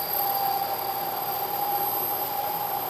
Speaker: you can hear the noise the chatter and if you look closely you can see a very irregular surface finish what's happening is due to the deflection of the part the part Rises up a little bit rides up onto the tool and then back off the tool and vibrates